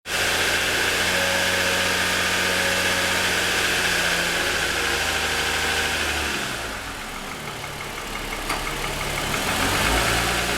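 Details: 2007 Lexus ES350, parked with hood raised, cold start: fast, light, fairly even ticking slap over steady engine hum; pronounced piston slap lasting about 10 minutes after cold start, worsening over 2.5 years of ownership; owner suspects a design or production defect.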